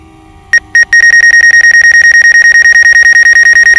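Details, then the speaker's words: DJI Mavic Air drone on its first flight, flying toward an obstacle: a few short chirps, then a rapid steady high-pitched beep about three times a second, the obstacle proximity warning. "that beep and a man it's like hey get out of the way dude I'm about to hit you"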